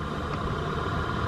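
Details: 2010 Dodge Charger HVAC blower motor, lowest fan speed, before replacement: constant whirring hum with faint high whine on top; blower motor itself noisy and worn.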